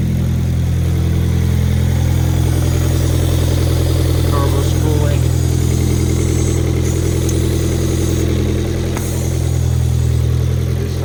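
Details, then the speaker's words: Hyundai Genesis Coupe 2.0 turbo on first start after engine replacement, alternator and compressor not yet fitted: even, steady, smooth low idle with no knocks or misses; a vacuum leak was noted. "It sounds good. I'm so hyped."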